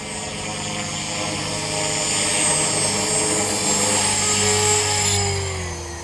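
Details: Trex 450 RC helicopter in flight after a crash, fitted for testing with a Common-Sense RC TR450-35 3500kv motor and 13t pinion: high thin squeal steadily over rotor whir and motor hum from a bad main bearing.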